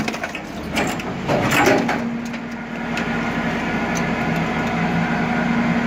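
Heavy cracking and splintering as the load is crushed, then a steady hydraulic hum that holds level; the shear sounds normal.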